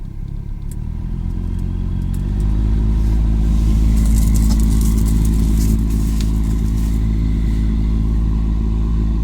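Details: Lada Priora idling with the heater blower switched on: a steady low droning hum that rises as the fan starts and then stays even; the owner suspects a napkin or paper from the glovebox was sucked into the fan when recirculation was switched on.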